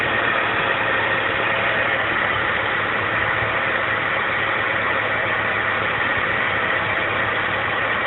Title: BMW 325i E46 Rough Idle Popping Sound